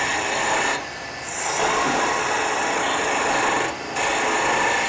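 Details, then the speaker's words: Woodturning a maple chalice on a lathe, piece supported by revolving centre: steady even hiss of a skew slicing the cup's top edge, with two short pauses as it lifts off, fine shavings. Clean skew cut. "it also means that the top edge of the cup is going to be clean you're going to hear how nice that is that lovely angel haircut you might call it"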